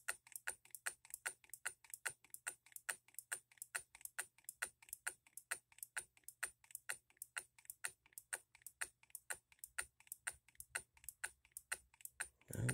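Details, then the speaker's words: Hand-built Coilmotorworks solenoid hit-and-miss model engine at about 4.5 volts: crisp even ticks about three a second in a quiet room, firing every stroke, just ticking over at its slowest without lockout. "four and a half volts guys it's sitting there just ticking over yeah very very neat little motor engine"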